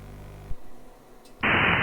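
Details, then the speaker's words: Amateur radio FT8 digital mode on the 10/20 metre bands, heard via voice monitor during a transmit cycle: soft hiss, then a dense, steady, warbly wash of tones across the voice range. Ordinary FT8 signal audio. "in a minute you'll hear um the signals they're just a horrible warbly noise"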